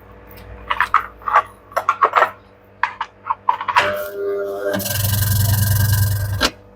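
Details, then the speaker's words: Candy semi-automatic twin-tub washer, wash motor run with the V-belt removed: handling clicks, then a coarse loud hum that never builds speed, rotates briefly, then sticks and cuts out; seized motor bush. "Now it's rotating, but after some time it's getting stuck. See, you can see the problem. It's now already got stuck."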